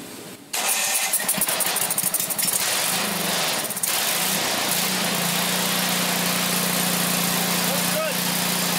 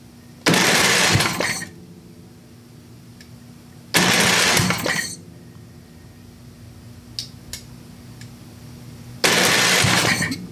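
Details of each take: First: Briggs & Stratton 8 hp OHV engine on a Craftsman 27-inch snowblower, previously dead, with water-contaminated milky oil flushed with used oil: pulls over, fires, and settles into a smooth, steady single-cylinder idle; it runs normally. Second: Craftsman 27-inch snowblower, Briggs & Stratton 8hp OHV engine, dry engine being revived: three short cranking bursts with silence between, never fires, starter keeps cutting out; debris found in cylinder, starter suspected, unconfirmed.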